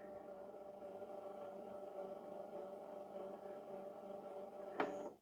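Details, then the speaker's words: Slow, labouring rewind on an LG or NEC VHS VCR: low strained motor hum at a steady dull pitch, then a click and it stops before reaching the start of the tape while still showing rewind; play works fine, weak tape drive suspected. "And now it's rewinding. It doesn't sound very fast though. It sounds like it's labouring."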